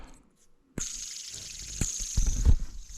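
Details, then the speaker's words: Jeep with squeaky noises, removed idler pulley spun by hand: dry, high-pitched rushing hiss over some handling knocks; bad idler pulley bearing, pulleys being replaced. "oh yeah hear that so we've got definitely some bad out of their pulleys"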